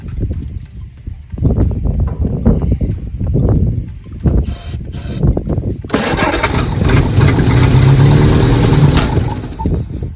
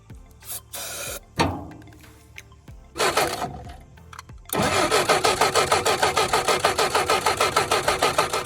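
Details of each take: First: 1967 Jeep CJ5 off the road 23 years, after checking the points and spraying brake cleaner down the carb: sputtering cranks and pops, then catches into a steady low rumble; old pitted worn points likely the cause. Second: 1967 Jeep CJ5 off the road 23 years, cranking after filing corroded distributor points: even chugs about three a second, never catches; spark tester shows no spark, owner suspects points or bad coil.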